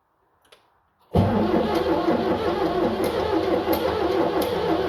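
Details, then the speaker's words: 7610 diesel tractor cranks steadily at roughly three compression pulses a second but never fires; jump pack on battery; owner unsure of cause, considering ether. "okay it is not happy with me guys"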